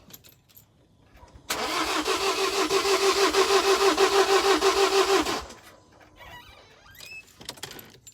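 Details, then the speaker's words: 2017 Ford Transit food-truck van that won't start; starter churns evenly about three beats a second for four seconds with no firing; owner suspects no compression, engine to be opened up at a friend's garage. "it sounds like there's no compression. There's no compression at all."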